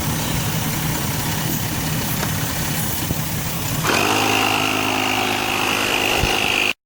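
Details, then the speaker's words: Vehicle idling normally after finally being started; loud rushing start, then after about four seconds a steady, even, quiet engine hum with no knocks or rattles; sounds good. "So finally got it started up, got it running. See, look how quiet it is. Sounds good."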